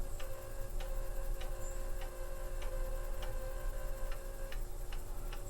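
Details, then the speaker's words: Radio Shack TRS-80 Model I floppy drive spinning up a game disk: a steady, even tick repeating about twice a second over a faint hum, an unusual noise never heard from this drive before. "I've never heard the floppy drive make that noise before."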